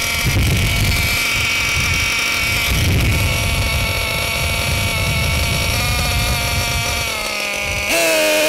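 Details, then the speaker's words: Losi LST XXL2 with a Dynamite .31 cu in gasoline engine, during needle setup before break-in. The engine buzzes at high idle, and its pitch steps down as the bottom (low-speed) carb needle is turned in, so the idle drops. "So as you can see, when I reach in the bottom needle, the idle drop."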